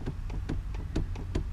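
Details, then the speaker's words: 2015 Subaru WRX shifter after rattle repair (rubber half-circle piece glued at pin and notch): crisp light clicks through the gate, no metallic bang, all gears work fine; shifter rattle appears fixed. "your left. No more metallic bang. All gears work fine."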